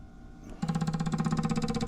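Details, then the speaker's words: Buick GS with code P0440 (large EVAP leak), EVAP system pressurized by a tester to 429 and the purge valve opened: a quiet hiss, then rapid even clicking as the purge valve cycles and the test pressure drops. "All right, so that's the purge valve moving, okay, and as you can see, the pressure here is dropping."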